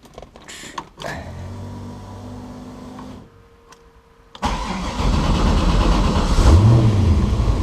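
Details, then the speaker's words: Twin-turbo 6.0 Firebird on MicroSquirt, cold start during a control test for a smoking problem (turbos suspected): cranks, catches and settles into a lumpy, wavering idle; owner says it needs to reach temperature to run right, partly due to the MicroSquirt tune. "She's running on micro squirt, so it's not as cleaned up as the wagon is on MS3 Pro. Got to kind of get her up to temperature before she can run right."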